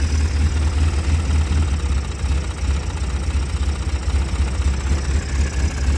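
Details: 2005 Polaris Sportsman 700 AWD ATV that sat about two years with rotten fuel, running after first restart: deep, even low thumping idle at steady speed, no knocks or misses; normal idle.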